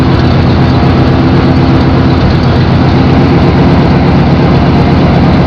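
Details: 1992 GMC K1500 5.7 V8 idling: deep uneven lumpy beat with a cylinder missing; truck misfires at idle and sometimes cuts off.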